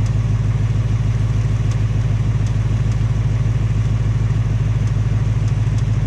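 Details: 2018 Ford Mustang GT, second engine with only 1200 miles, steady low idle with a fast light tapping about three per second, the same noise as the first engine or worse; piston slap or Coyote tick suspected; Ford fitting a third short block.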